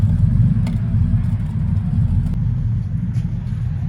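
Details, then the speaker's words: Triumph Stag V8 idling after first cold start since November, started first pop; deep, even low rumble with steady beat, no misses, taps or rattles; runs lovely, though it needs a new clutch. Normal idle. "I've just started it up for the first time. I think last time I ran it was in November time. So listen to this. She's running lovely."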